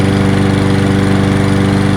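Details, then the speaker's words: Free Toro 22-inch Recycler mower, reassembled after being found taken apart, with excess oil smoking off; the engine holds a steady, even idle with an unbroken low putter and no surging or stumbling. "got a lot of oil look at this thing holding a steady idle the smoke's almost aside from it"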